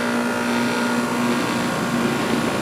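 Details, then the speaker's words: 240 V outdoor AC unit after new capacitor fitted, started by pushing in the contactor to bypass the thermostat: steady even rush of fan air over a smooth constant hum; condenser fan at proper speed, called fixed. "and my fan is running about the speed that it should be running, it sounds like. So I'm going to call this fixed."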